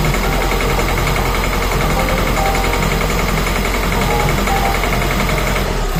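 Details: 1.6 HDi/TDCi diesel idling roughly around 1100 rpm: hard, irregular clatter and uneven pulses, a misfire most often caused by a faulty injector, checked with an injector leak test.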